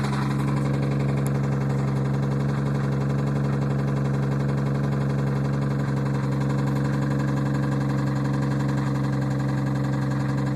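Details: 1990 Toyota Supra turbo, 5-speed, at idle: faint evenly spaced knock about three a second under the exhaust hum; engine knocking, cause unknown.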